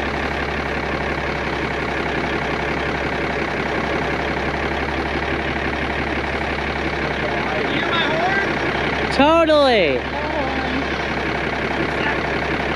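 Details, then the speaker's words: 1988 Kenworth K100E, Cummins 400 Big Cam IV diesel, first start after sitting 9 years: rough, lumpy idle with an irregular stumble every few beats; one cylinder is missing, cause not confirmed. "oh god oh it's definitely missing though"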